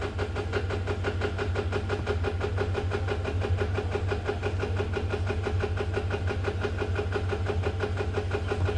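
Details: FA20 engine at start-up: catches and settles into idle with a rapid even rattle, about three a second, over a low drone; VVT rattle.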